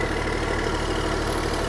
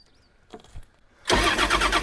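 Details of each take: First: Long-neglected small diesel excavator: a steady, even, deep idle with no knocks or misses. The engine runs healthy, but the throttle and hydraulics don't work, perhaps because of the safety switch. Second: Long-neglected small diesel excavator, glow-plug switch seemingly frozen: even cranking at about four turns a second that never fires. A safety switch is suspected, and ether is considered.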